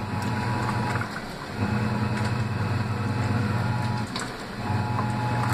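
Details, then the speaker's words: The Laundry Alternative mini automatic washer, water at maximum level and agitation starting with clothes packed fairly tight; low smooth motor hum with brief pauses as agitator reverses, no knocking or grinding; normal quiet wash agitation. "Tá aqui, ela está chegando no nível máximo de água dela. E vai começar a agitação. Essa máquina é muito silenciosa."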